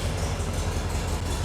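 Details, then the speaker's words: Porsche 356 Speedster replica on VW base, air-cooled, cold start (heater on but not warm) at 37° outside after ball-joint drop spindle install: low steady even putter, idling nicely with 40 PSI oil pressure on the dash. "or the heater's been going but yeah idling nicely 40 PSI on the dash"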